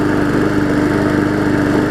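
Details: Hyper Tough walk-behind mower, a customer return, after its severely bent blade was replaced with a new 20-inch one: a smooth, even idle with a steady tone and no knocks or wobble, now running better and no longer smoking.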